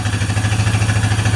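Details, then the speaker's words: Honda Rancher 420 ATV first started after sitting over a year, with old fuel mixed with injector cleaner, air filter off, and carb cleaner and penetrant sprayed into the throttle body two weeks earlier. A deep, lumpy, surging idle. Rough running. "penetrant in the throttle body, trying to free it up. So that was probably all in the cylinder, and I did that 2 weeks ago, so it's had time to kind of evaporate, or some of it evaporate and stuff."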